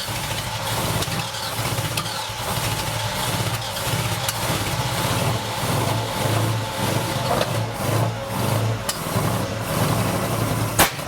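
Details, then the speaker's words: Ferrari 308 GTS with carburetors, non-running at arrival, battery just charged, some spark plugs sparking weakly: lumpy, uneven running that stumbles and drops out, seemingly on about four cylinders; misfire. "and yeah I mean it wasn't running well sounded like maybe over four cylinders but it was doing something and that's progress"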